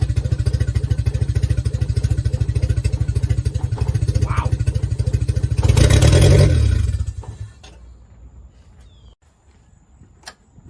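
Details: 1990 Mazda Miata, first start after sitting about 7 years on old fuel: low lumpy idle with an uneven, stumbling beat that surges briefly then dies away; misfiring, likely not all cylinders firing.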